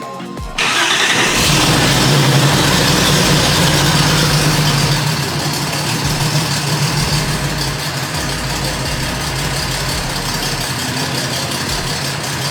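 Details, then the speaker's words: 280ZX with a 3.0L stroker engine, just refitted with a Nippon Denso-style crank angle sensor to replace a prototype setup that had timing drift and sync loss: catches at once and settles into a steady, even idle with timing confirmed good. "Mr. Avery's, we finally got this thing running right. I've been tuning it a little bit. It sounds really good, runs really good."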